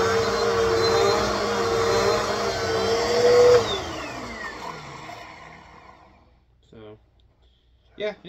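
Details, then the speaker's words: Bissell PowerForce 2191 upright vacuum, found dumped, washed out and reassembled: steady even motor roar and clean whine winding down smoothly at switch-off, no rattle or grinding; motor healthy. "it works, though. It works well. I'm not noticing any visible motor issues with it at all, but yeah, we got a completely working powerful machine. Runs pretty well. It sounds really good, actually."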